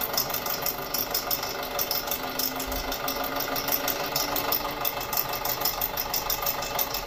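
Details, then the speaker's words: 2006 Audi A4 2.0T, codes P0300/P0303: uneven idle with lumpy pulse about three times a second and stumbling rhythm, misfire on cylinder 3. "Look at that, Misfire in cylinder 3. I don't know if you guys can hear this. We'll come up here, we'll see if we can hear it. But it sounds horrible."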